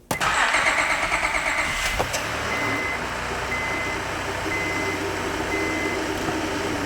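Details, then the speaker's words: 2005 Honda Odyssey after disconnecting battery to clear codes; crank, quick catch, smooth idle, revs freely to rev limiter with no VSA lights; normal start and rev. "it revs up just fine now no vsa lights that's hitting the rev limiter"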